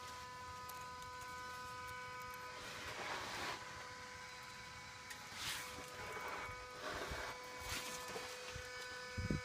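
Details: 2016 Ford F-250 Super Duty 6.2-liter V8 with the engine shut off: steady mid-pitched hum with faint overtones from under the vehicle keeps going after shutdown; source unknown.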